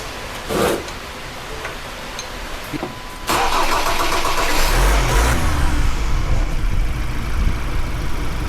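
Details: Ford Raptor diesel after replacing the faulty cylinder 3 injector, which had caused misfiring: brief cranking, then it catches and settles into a steady, even idle with no misfire or stumble; running properly.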